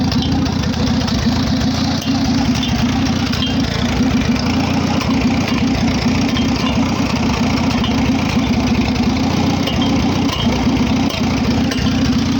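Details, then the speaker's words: Farmall H four-cylinder tractor after carburetor rebuild, fresh oil and new exhaust pipe: steady, even low thump at idle with no misses or knocks; carburetor no longer leaks; normal idle. "so yeah that's what she sounds like now that i rebuilt the carburetor i don't have to worry about running the carburetor out of gas so it don't leak anymore"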